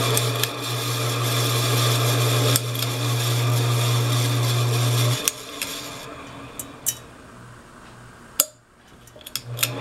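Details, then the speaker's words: Encon Emperor ceiling fan, bought at auction, after repair. A steady low motor hum lasts about five seconds, then cuts off with a few clicks; the fan runs and reverses, though it had sounded out of balance before; normal running. "Yep, it reverses. Very cool. Alright, we got this fan working again."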